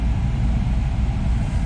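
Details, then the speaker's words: Chevrolet Camaro AC blower motor after removing debris and trash from it: steady, low, even hum with no rattle, ticking or scraping; previously loud. "yeah that did it just a bunch of debris and trash in there"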